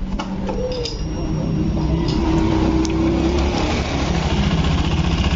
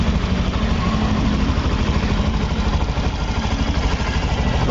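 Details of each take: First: Honda Beat Eco scooter, still noisy after cam chain tensioner replacement and valve adjustment: rough, busy clatter from inside the engine; suspected loose piston, camshaft bearing, connecting rod or crankshaft bearing. Not confirmed. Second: Honda Beat digital (Beat Eco) scooter after fixing a noisy-engine complaint: smooth, soft, even idle putter with no knocks or rattles, quiet again like new.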